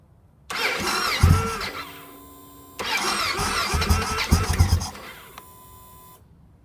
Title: Bike in Grass Hard Start